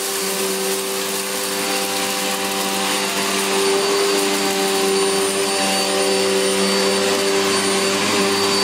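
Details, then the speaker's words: Electrolux Filtaire 1600W vacuum after stripdown, repair and refurbish: steady, even high motor whine with constant airflow rush, no wavering or rattles; motor runs healthy and picks up everything. "well that sounds really good that's and it's picked up everything it is yes that's really cool"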